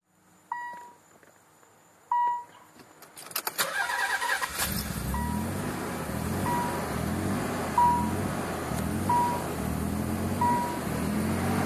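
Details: Nissan 300ZX: after two chimes the engine cranks and settles into an uneven, lumpy rough idle caused by a vacuum leak.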